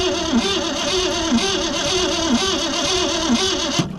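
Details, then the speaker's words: 1963 Mercury Comet 260 V8, Autolite 2100 carburetor, not driven in 25+ years: starter churns with slow steady beat about one surge a second, never catches; spark present but no fuel because the accelerator pump is blown. "we were getting fire um we just were not getting fuel the accelerator pump is blew up"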